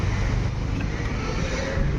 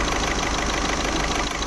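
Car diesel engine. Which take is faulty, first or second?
second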